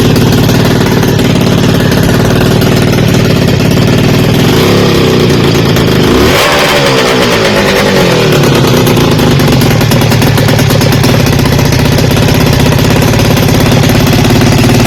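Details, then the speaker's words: 1975 Kawasaki Arctic 440 twin-cylinder two-stroke with electric start, CDI box and dual coil in a custom ATV. Loud, lumpy popping stays uneven through the revs and then cuts out. It runs on only one cylinder, and the dual coil was later found bad on an ohm test. "In the video, it was only running off of 1 cylinder. I later discovered that my dual coil is bad."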